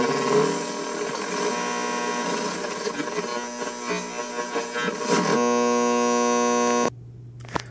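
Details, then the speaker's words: 1500 W Tiger Claw pure sine wave inverter plugged directly in, AM radio tuned to 1365 kHz: harsh buzzing hash with whiny edge across the band, really bad near 520, before RFI filtering; inverter radio frequency interference on AM radio. "directly connected to the inverter same frequency 1365 kilohertz and that's pretty much all the way around the band it's really bad at 5:20"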